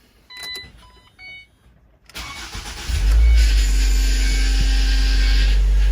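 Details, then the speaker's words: 2011 Ford Transit Connect first start after cylinder head replacement for P0302 error: engine catches after cranking, then steady droning whine-grind over idle; power steering pump noise from low fluid, rest of engine fine. "Well, the power steering is low on fluid. Yeah. So it's having to kind of work its way through and around, and the pump is not happy about it."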